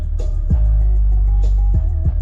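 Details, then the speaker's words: Toyota Sequoia/Tundra JBL front speakers after repair with a speaker repair kit: bass-heavy music plays clean with a full low end and no buzz or rattle, although another repaired speaker has slight rattle from binding. "so here's how they sound. It sounds pretty amazing."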